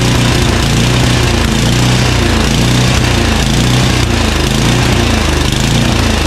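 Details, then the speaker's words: Craftsman 9HP Tecumseh 29" snowblower after partial carburetor cleaning: loud single-cylinder, speed swelling and sagging about once a second; idle surge improved but persists, pilot jet suspected, maybe bad gas. "it's better it is definitely better it surges less often and i could take this thing down to almost half its speed and didn't stall until i took it lower than that"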